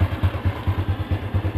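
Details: Honda Revo Absolut small motorcycle engine idling after the starter relay (bendik) connector is plugged in and the electric starter tested: steady low thump about four or five times a second, no misses or clatter; starts and idles normally.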